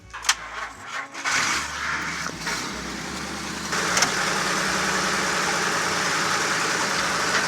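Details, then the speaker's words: 1949 Chrysler sat 60 years, starter solenoid repaired, fuel poured down the vent tube to get it going: several short cranking bursts and stumbles before catching into a rough, uneven idle; hard start pointing to fuel delivery. "all right probably have to put gas in there and get it to crank over"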